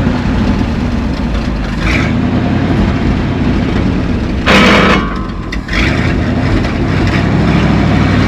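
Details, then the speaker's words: 1970 Ford F600 U-Haul truck, abandoned about 30 years: big V8 chugs unevenly at a low, loping idle with a brief hissy rush midway, and the vacuum brakes are not working. Owners suspect carburetor vacuum leaks, unconfirmed. Rough running. "Well, it could be a bunch of vacuum leaks from that carburetor."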